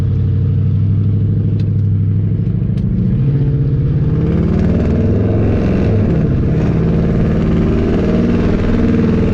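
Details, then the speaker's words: Mopar car with custom tune, driving after exhaust leaks at the mufflers were fixed: a deep, even engine note with no puffing or ticking leaks. The exhaust sounds sealed and healthy. "sounds pretty good right finally sounds like I'm saying it's got a little life to live again"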